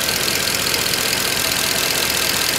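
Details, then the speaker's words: Mercedes C63 just restarted cold after thermostat, coolant pipe and cover work: fast, light, even lifter ticking (click, click, click) above a smooth idle as hydraulic lifters fill with oil; expected to quieten as it warms. "Need to warm up a little bit for the lifters to fill up with the oil. Doesn't make sense. Yeah, beautiful, not bad. You're gonna come more quiet. Now you can hear the click, click, click, click."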